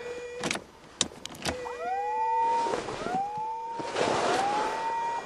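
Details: 1986 Mercury Marquis winter cold start in snow; thin whine sweeping upward like a siren several times over faint idle; fuel pump not heard, owner suspects fuel pump relay, cause unclear.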